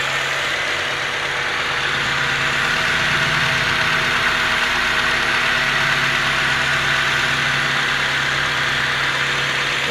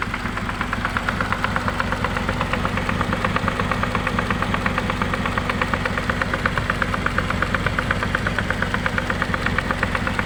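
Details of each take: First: Honda CR-V gen 2 automatic after repairing chipped, broken gears that caused harsh noise and no drive: steady even idle hum with no grinding or clunks; transmission now smooth, forward and reverse work. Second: Honda CR-V gen 2 automatic transmission after first reinstall, drives forward and reverse: steady rough knocking about three per second over idle from the transmission; chipped gear and a shaft not seated from an earlier teardown.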